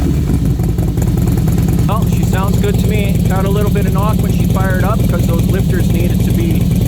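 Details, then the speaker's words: 2008 Harley Softail V-twin at startup after installing replacement hydraulic lifters (old lifter failed and scored the Fueling 543 cams): loud, uneven loping idle with a steady low beat, initial squeal gone once the lifters filled with oil, no lifter tick; runs healthy. "So, the squeal is gone. Sounds good. She's purring away like a kid."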